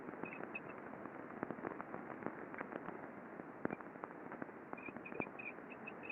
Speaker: sheath so squeaky um some impacting going on all evidence of lack of lubricate lubrication some contamination in here as well so this belt sheave is starting to wear out